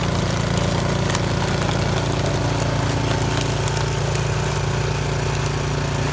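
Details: Yard Machines 22-inch snow blower after carburetor cleaning (gas left in it at least two years), choke off at full throttle on test run: even, throbbing beat with no surging or misses; normal running.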